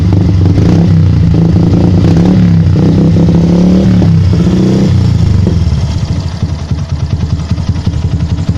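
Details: Yamaha Byson motorcycle: engine revs then drops off with irregular crackles and pops from the exhaust on the overrun, persisting even after the air-injection hose was blocked off; cause unclear.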